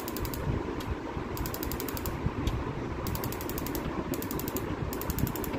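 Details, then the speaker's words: Auto-ignition gas stove: quick bursts of sharp, evenly spaced ticks each time the knob is turned but no flame catches; the spark igniter unit was faulty and was removed, after which spark came. "এই মনে হয় যে বাকি বাকি এটার সমস্যা ছিল, এটা স্পার্ক আসতো না না, এখন স্পার্ক আসতেছে।"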